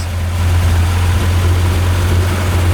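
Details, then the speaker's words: 1966 Kaiser Jeep CJ5 3.7L 225 odd-fire V6, warm, after swapping Rochester 2GC for new Carter BBD 8308 out of box, idle jets 1.5 turns out, low-pressure electric pump at 2.44: deep steady idle, no misses, hunting or surging. "fantastic i mean this is basically straight out of the box"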